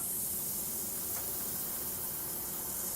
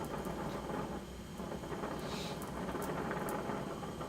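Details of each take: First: Lit welding torch while brazing with flux-coated filler rod: steady, loud hiss from a dirty tip that needs cleaning before continuing. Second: I've gone ahead and put a little bit larger tip on since this aluminum is a little bit thicker and seems to absorb a lot of heat but once again adjust for a neutral Flame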